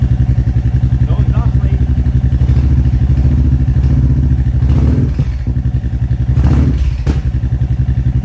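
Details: Royal Enfield Classic 350 Reborn with newly fitted 410 big bore kit, idling after exhaust remounted to fix leak: deep, steady low thump about three or four beats a second, no ticking or puffing; healthy idle.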